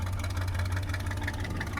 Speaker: It actually sounds good. It does. I like the way it When sounds. you get on the gas, it sounds really good.